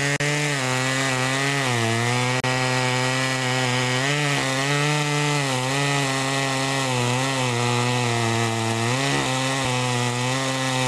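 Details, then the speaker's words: Homelite Super 2 two-stroke chainsaw (Duramark-branded) after an oiler repair with a new duckbill valve, holding a strong steady buzz that dips slightly in the wood and recovers; it cuts cleanly and oils the chain well. "anyway she cuts good now she's oiling pretty good now a lot of oil on that chain"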